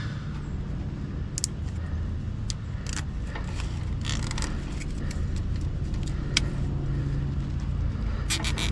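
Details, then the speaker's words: Traeger pellet smoker after replacing the failed induction fan with a new one: a steady, low, smooth hum of the fan spinning freely under some handling clatter; it now pushes much more smoke; normal blower running. "Now we can hear that fan spin. You can see now it's pushing a lot more smoke out. That's exactly what you want."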